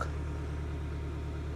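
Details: Mercedes W203, now running: low, smooth, even idle hum, no ticking or knocking, not a knock; spins nicely compared to last time; healthy idle.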